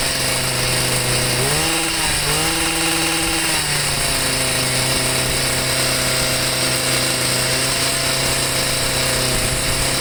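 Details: Stihl MM55 sweeper two-stroke with a Hipa C1Q-S97 carburetor: fast, steady buzz rises briefly then stays high without dropping; idle too high.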